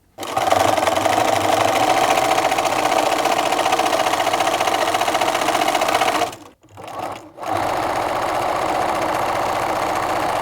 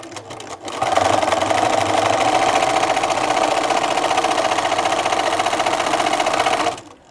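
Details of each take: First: Bernina sewing machine after oiling a dry hook and hook race with one drop of sewing machine oil: fast, even stitching rhythm with a soft, smooth whir and no clatter; running quietly after oiling. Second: Bernina sewing machine before oiling, microphone close to the machine: rapid clattering stitch rhythm about four per second with a harsh, rough rattle instead of a soft hum; the hook race is dry and needs oil.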